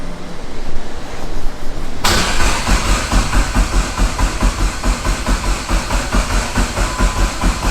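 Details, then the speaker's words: Dodge Neon SRT-4 with PT6062 turbo, initial start-up after wiring, fuel pump primes but no gas in tank: steady even cranking that never fires. Crank no start, no fuel. "i ain't doing yet but obviously no gas is obviously gonna have no combustion no"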